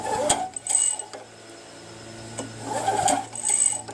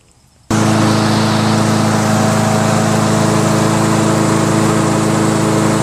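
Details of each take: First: Craftsman Eager 1 mower with Tecumseh engine, engine off: two bursts of dry, tinny rattling as the starter rope is pulled and recoils; recoil starter suspected, but the noise persisted with it removed, so cause unknown. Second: Mower engine: starts at once and settles into a steady, even drone with no misses; running normally.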